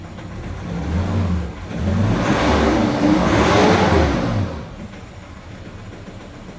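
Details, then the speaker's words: 2019 Nissan Terra automatic diesel after scanning and injector coding, with flooded wiring, fuse and relay checked and a dirty filter found; engine revs up and down smoothly and settles to an even idle, the earlier shaking and misfire gone. "So yun mga sir The Moment Of Truth nawala na iyung vibrate nawala na yung nginig niya sa makina"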